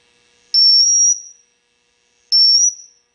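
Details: Marshall JCM 2000 TSL 602 60-watt 2x12 guitar amp with fuses checked, presence on 10, emitting two half-second bursts of steady high-pitched whistle over silence; suspected oscillation, cause not yet found.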